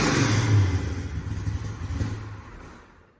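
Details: 1966 Ford Mustang fastback pro-touring build (KSV 9000) with Trick Flow top end kit and cam: deep V8 rumble swells through a quick rev then dies away cleanly, no knocks or rattles; sounds healthy.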